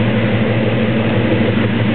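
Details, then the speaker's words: 1972 Chevrolet Chevelle SS 402 V8, top-end rebuild six months ago, fires right up: deep, steady, even burble through the dual exhaust with no knocks or misses; normal idle. "tone from the dual exhaust chevelle sounds how you expect your muscle car to sound"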